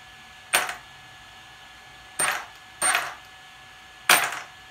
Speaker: hear that violin clicking that's because my start power is set up so high